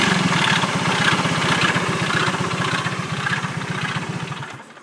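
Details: Engine idling after it suddenly stopped during an incident: uneven putter with a loose rhythmic rattle of about four beats per second, fading as the engine dies; cause unclear, abnormal idle noise.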